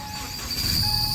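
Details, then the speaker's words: 2017 Subaru Crosstrek manual with a worn clutch release (throwout) bearing, idling in neutral: a thin, steady whine over the engine that grows as slight clutch pedal pressure loads the bearing through the master and slave cylinders. "see how you can change the noise with your foot because your foot is pushing on the clutch master which pushes on the fluid which pushes on the clutch slave and you're literally changing the amount of force on that release bearing"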